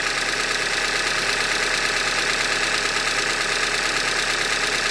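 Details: 2015 Hyundai Elantra Limited at 91,000 km: steady metallic tapping at idle, a bit over one beat per second, over a hissy engine note; engine knock from short block failure, attributed to a Hyundai manufacturing defect.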